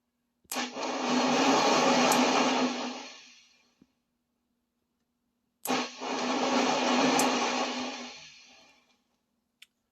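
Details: 1996 Peavey 5150 2x12 guitar combo amp: each flip of the standby switch brings a loud rushing hiss like crashing waves that swells over a couple of seconds and fades, with static and popping; blamed on leaking capacitors.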